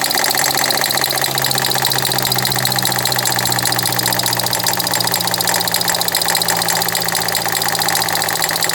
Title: 2012 Ford Fiesta knocking sound (water pump & belt already replaced) 02/07/2020